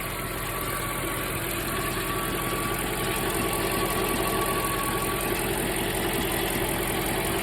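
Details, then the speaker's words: Mercedes E420 V8 at warm idle back home after a drive, following a valve-noise treatment: steady light ticking about 160 a minute over the engine hum; no valvetrain noise, but some other noise remains, source unconfirmed. "I do hear something that sounds like it's from the but I don't hear any valve train noise right now which is awesome I'm definitely still hearing something guys"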